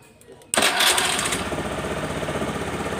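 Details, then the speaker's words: Honda Beat FI scooter with a clicking starter, relay reinstalled without a jumper, started from the button: a short starter whirr, then it catches at once and settles into a steady idle; normal engine start. "Tuh, motor langsung bisa hidup. Kita coba lagi."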